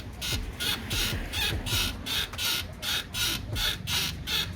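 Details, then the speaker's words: Mahindra XUV 700, about 20,000 km, rear pushed down: sharp high squeak repeating about 80 times a minute from worn rear swing arm bushes, fixed by the service centre within hours on the first visit. "तो आप सुन सकते हैं कितने खतरनाक suspension से noise ए रही है"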